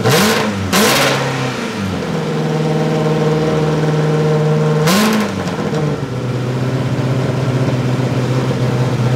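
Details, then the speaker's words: Ferrari-engined Alfa Romeo 105 project car, run after first start following wiring fixes (not warmed up): catches, sharp rev, then loud steady even idle with exhaust valves open; normal start. "it's loud that's with the exhaust valves open I haven't tried closing them"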